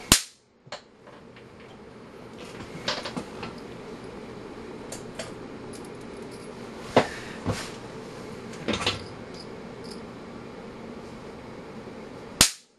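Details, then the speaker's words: UNI-T UT139C multimeter under 3.7 kV transient surge testing: sharp, irregular snapping pops over a dozen seconds as the board arcs brightly; meter destroyed. "that is bright and it's fast holy smokes yeah looking through the preview screen green here the camera just shows it is all black but boy I'm telling you that board is lighting up it's like the 4th of July here in America"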